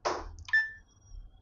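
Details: Samsung microwave oven that arrived dead with a shorted power-supply PCB, after repair: a single short, clean high beep as a mode button is pressed on the keypad; keypad responds normally.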